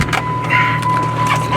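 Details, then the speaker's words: V6 roadster idling: steady high chime repeating over the engine, warning the trunk wasn't closed; stopped after reopening the roof and closing the trunk properly. "all right we figured out why it was making the beeping sound uh the trunk wasn't closed so we had to open the the roof back up"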